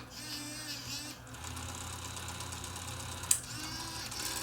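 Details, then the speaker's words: Sony BEV-8 8mm tape fast-forward/rewind/eraser unit on a 6-volt supply, after freeing a jammed motor: smooth, even motor whir with a shifting spool note and a sharp click near the end as fast forward runs normally. "There we go. Rewind. And fast forward."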